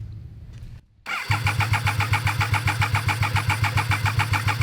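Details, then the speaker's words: Abandoned Triumph 955cc-engined go-kart: the starter cranks steadily with even compression pulses about four a second but it never starts; the test light fades with the compression strokes instead of pulsing cleanly on and off; cause suspected, not confirmed. "so what it is is it's uh spinning over in the compression Strokes are causing the light to"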